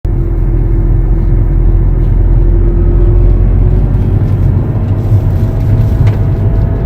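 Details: 2011 BMW F10: faint steady whine over road rumble while cruising, shifting higher partway; suspected differential problem, not confirmed.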